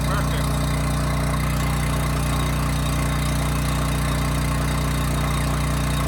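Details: Homelite generator with Mikuni carburetor after carburetor cleaning that cured hunting/surging, set to about 61.5 Hz and run under 3000 W load: even, constant low hum with no rise and fall; governor holds speed, no hunting.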